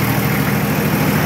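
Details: Nissan Patrol Y60, TD42 turbo diesel, idling after one-click start following 9 months in storage; low even chug with light clatter, no misses or knocks: normal idle.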